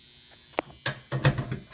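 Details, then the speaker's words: Steady low electrical hum with faint buzz and soft clicks from a breaker panel. It stopped briefly after the breaker, then the whole box, was replaced, but returned after about 1.5 weeks; ongoing ~30 days. Owner fears wire overload. Breaker panel hum. "after uh mr bo carter replaced the uh breaker box the humming stopped but it started again after about a week and a half"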